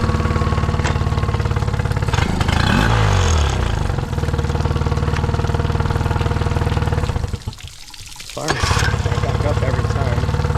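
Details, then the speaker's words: 2008 Honda 20hp four-stroke outboard after restoration and new impeller: steady beat that sags and nearly dies before catching; occasional throttle hesitation, owner suspects air mixture screw slightly out of adjustment. "There's like still a little bit of hesitation on this sometimes. [Music] I don't know if the air mixture screw like slightly out of adjustment."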